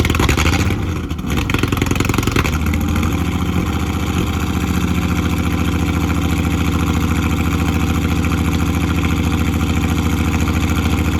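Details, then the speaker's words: Ford AU Falcon with swapped ECU loaded with Ford map, first start after long time: cranks, catches, then uneven lumpy run with a stumble every few beats; misfire, spark plugs then changed. "Yesterday I just changed out the plugs because I don't know if you guys could hear that on camera, but it had like a misfire."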